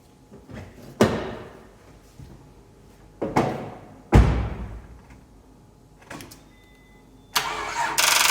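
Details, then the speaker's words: 2001 Honda Accord no-start: engine turned over once then only solenoid clicking and failed cranks, voltage dropping to 2.42 V while cranking. "so our car didn't start we heard the engine try and you know try and start i turned over once and then just went to that solenoid clicking"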